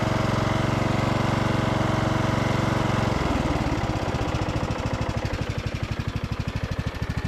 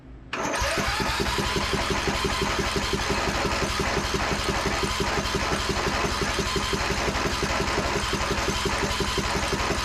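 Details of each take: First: Briggs and Stratton powered Craftsman DLT3000 riding mower after repairs for no-start (fuel line cleaned): steady single-cylinder thump, even firing, slowing toward the end, no miss or knock; runs fine. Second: Craftsman DLT3000 riding mower with Briggs and Stratton engine, after draining brown fuel and flushing lines: about thirteen seconds of steady cranking at roughly three turns a second, never catching; some water still suspected in fuel pump and lines.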